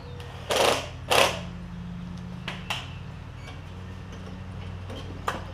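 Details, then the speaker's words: Lowe's MTD push mower with a Briggs Quantum engine, after an intake valve grind: speed hunts up and down every few seconds, with a couple of handling knocks. It runs better and no longer chokes itself out; owner suspects the valve was ground slightly too far and it needs more fuel. "it is running even though it's surging now I think I'm a little bit too far on the valve it is running better it's not choking itself out so we got the opposite problem"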